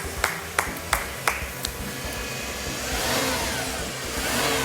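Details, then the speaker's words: Crashed Subaru WRX firing up on a second attempt; fuel pressure present, a few sharp clicks, then it pulls up smoothly and holds an even, steady rev with no knock or misfire. Normal running. "It sounds good. It works, but now we have to work out how to sell it."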